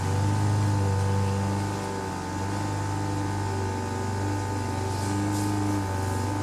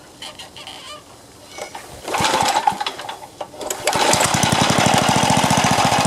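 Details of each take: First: Craftsman four-stroke edger, Tecumseh engine, throttle about halfway: drones at steady low speed that never rises despite throttle adjustment; governor linkage hooked in wrong throttle hole. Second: Craftsman four-stroke edger, Tecumseh engine, after moving governor linkage to correct hole, choke on, throttle under halfway: starts rough then settles into quick even beat at steady speed; neighbor's mower faint behind; normal running.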